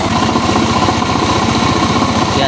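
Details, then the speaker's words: STX 125 single idling with loud, rapid metallic knocking every turn; worn connecting rod and side bearing, taken for overhaul. "napakaingay patayin na natin so napakaingay ng kanyang makina so dalhin natin ito sa shop at ibor na natin sigurado yung sa kanyang connecting rod"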